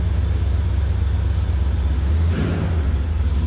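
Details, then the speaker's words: 1972 Chevrolet Malibu convertible, 383 stroker V8 with Holley Sniper EFI and 700R4 automatic, idling after a cold start: deep, even low rumble from the exhaust with no knocks, misses or ticks; sounds healthy. "that was a cold start and then of course you can see readouts on the controller closes nicely and let's take a listen totally I thing sounds good little Rumble coming out of the fuel exhaust"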